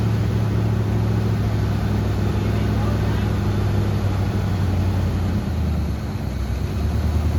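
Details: Grandpa's 1974 Chevy C10 V8 after sitting about 5 years, fed by an inline fuel pump from a temporary tank: deep steady rumble at an even pace without stumbling or misfiring; idling normally.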